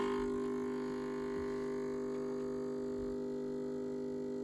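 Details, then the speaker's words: Gaggia Viva espresso machine that steams but gives no hot water: steady, even pump buzz that never changes pitch or labours, running without drawing water; the cause was a blocked jet, clearable by unscrewing it and cleaning with wire. "it doesn't appear to be sucking, and that's the issue. And I would expect it to suck"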